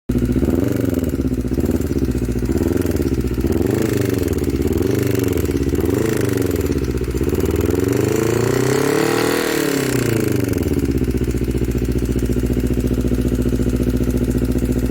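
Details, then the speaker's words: Honda CBR250RR at the workshop, engine not yet opened, with uneven lumpy knocking (klotok-klotok) through the revs and at idle, never smooth; water hammer (water ingestion) suspected. "dan ia bisa kita dengar sendiri kalau suaranya itu kayak gitu ya enggak halus klotok-klotok kayak gitu"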